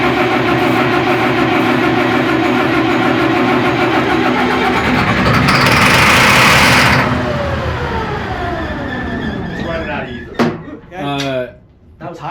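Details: 60-year-old wash plant diesel engine, fuel system not yet purged of air, started on ether: cranks, catches and races high for a few seconds before winding down; running on starting fluid only, not diesel. Cause suspected.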